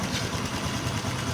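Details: Honda XRM 125 FI single-cylinder idling steady: faint, quick knock in low rumble from left side of engine; cause not yet found.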